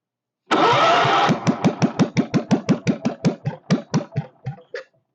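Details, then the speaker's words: Kohler K301 stationary single-cylinder, first start with a bit of chainsaw gas mix added for lube and fuel pump leaking: catches, then slow, uneven thumps that fade out and stall; idle speed set too low. "oh she needs a little adjustment on the idle circuit not idle circuit the idle speed I should say"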